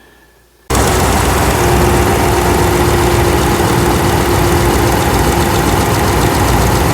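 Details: 2009 Ram 5.7 after rebuild, idling with coils refitted, brake booster removed for access and a vacuum line blocked off; light quick valve-train tick, about four per second, following engine speed, loudest at number 1 front rocker arm, exhaust quiet; cause unknown.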